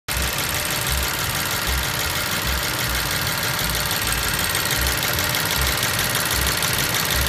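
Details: BMW 750i idling, heard through the open oil filler cap: dull low thumps at about 75 a minute over an even idle; engine knocking noise, source unknown.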